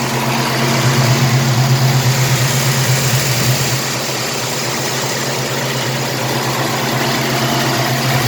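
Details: 1967 El Camino 427 big-block with MSD Atomic EFI and return fuel line, warm after a drive, hood open; deep, steady, even rumble with constant low hum, no knocks or misses. Normal idle.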